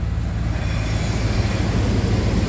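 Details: 1994 Ford F-150 exhaust after a new muffler was welded in place of leaking clamped joints: a deep, steady tailpipe rumble with no puffing or ticking, sealed and healthy. A faint tapping is suspected to relate to a miss.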